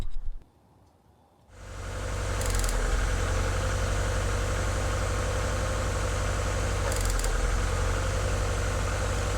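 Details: 1996 Mazda Miata four-cylinder petrol engine, bad misfire after driving in rain: it catches and settles into a lumpy idle with a recurring stumble; cylinder two suspected, with an arc trail found on its plug wire.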